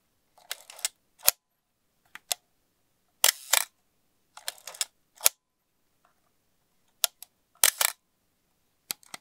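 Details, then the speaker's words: Asahi Pentax Spotmatic SP M42 film camera, serial 2483987, shutter test: crisp, snappy clicks one after another with clean, consistent timing, no drag or sticking; shutter sounds good. "that sounded pretty good to me"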